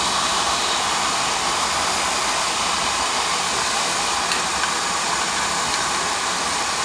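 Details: Residential oil-fired boiler burner on an annual service after a bad nozzle was replaced with a new one, with a big improvement. Even steady roaring rush with no pulsing, sputter or rumble: the burner is firing cleanly and running normally.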